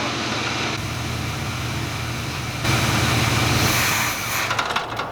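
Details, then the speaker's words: 1987 Chevrolet El Camino, sat for unknown time, new battery, choke linkage improperly attached, wet carb base gasket: runs only at idle, lumpy uneven idle with faint beat, dies when throttle touched; stalls when throttle opened, cause still to be traced. "Alright, I got it to run, but only at idle. If I touch the throttle just a little bit, it dies, so I'll have to look into that"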